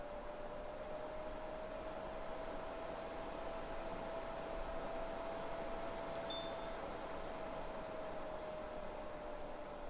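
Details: Winix C535 air purifier fan motor after replacing worn motor bearings with NSK 608ZZ bearings (it previously whined and ground): a smooth, even whir with one steady mid-pitched hum and no grinding or rattle; normal, healthy fan operation.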